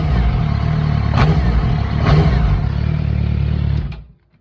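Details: 2006 Suzuki GSX-R 600 four-cylinder engine makes sharp clacking/knocking only when the throttle is blipped, over revving; source of the clatter not identified.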